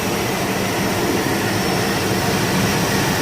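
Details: 1999 Chevy Tahoe 5.7L V8 first start after tune-up with spark plug wires fitted, air cleaner back on: steady even idle, constant rumble, no ticks, misses or knocks; runs smoothly, normal idle.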